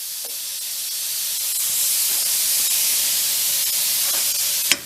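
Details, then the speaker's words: Plasma cutting a broken exhaust manifold stud: a steady hissing arc for several seconds, then sharp pops as it stutters out, cutting in and out without going all the way through. Owner thinks the tip is worn, its orifice enlarged, slowing the cut. "Once the orifice gets a little too large, the speed slows down. You can hear the torch wheels turning on and turning off, not kind of making it all the way through."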